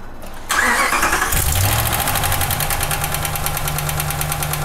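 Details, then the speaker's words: V8 catching and settling into idle with a fast, light ticking over the low hum, before an oil treatment; suspected lifter tick. "Now you guys hear that, it is definitely ticking. So this is before we do the oil treatment."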